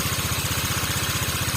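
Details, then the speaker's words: Water-cooled motorcycle that boiled its coolant, original bore; even steady putter about eleven beats a second with no knocks or misses, sounds smooth, normal idle. "Ah ini baru ya oke suaranya bagus suaranya halus"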